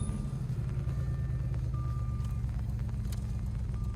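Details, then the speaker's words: Supercharged Jaguar S-Type R with a bad exhaust and check engine light on, driving: steady engine drone with a faint high chime repeating every second or two because someone aboard is unbuckled; seatbelt warning chime. "that beeping's just because murph doesn't have a seatbelt on"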